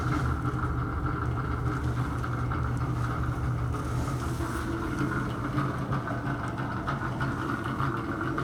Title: Bathroom Fan. Bad Motor or fan bearing.